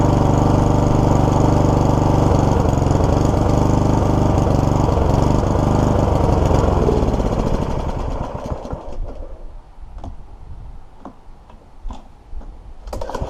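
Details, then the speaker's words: Troy-Bilt mower with Honda GCV160 engine: runs fine in gears one to three, but in gear four the engine pulls steadily, loses power and dies within seconds, leaving faint clatter; stalling. "so the stomach run with a self-drive but as soon as you pull it into the number four the engines cutting out"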